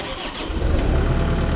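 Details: CAT 305 diesel excavator after battery upgrade, freshly charged battery, start while watching voltage drop; brief crank, then catches quickly and settles into deep, even rumble; strong, healthy start.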